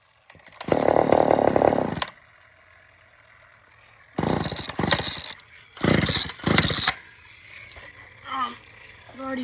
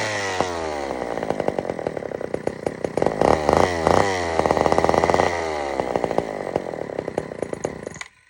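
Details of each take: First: Old Sears Explorer II chainsaw that fired then died, after carburetor cleaning: fires and buzzes in short revving bursts, picking up cleanly on throttle and dropping back between blips; it runs, later odd revving as it runs out of gas. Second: Old Sears Explorer II chainsaw after carburetor cleaning, good compression: uneven two-stroke buzz surging and stumbling with irregular firing before cutting out; carburetor mixture badly out of adjustment, screw being turned all the way in.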